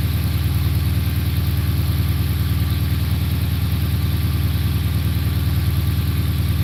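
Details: Dodge Magnum started after its battery had been on the charger for a week; it catches straight away and settles into a smooth, even idle with a steady low hum and no knocks or misses.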